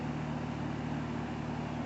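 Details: Carrier-compatible home AC blowing warm air (vent 83°F, outside 100°F) with the condenser fan running: a steady fan drone and electrical hum, with no compressor pulling in. A dead capacitor was the cause; replacing it fixed the AC.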